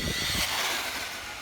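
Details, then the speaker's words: Traxxas Slash 4x4 VXL brushless RC truck after five years of ownership, with the slipper clutch loosened: under full acceleration a raspy high whir and fluttering drive note show the slipper clutch slipping. "i can tell the slippers slipping i did loosen it like i said i can tell under full acceleration you can hear it slipping"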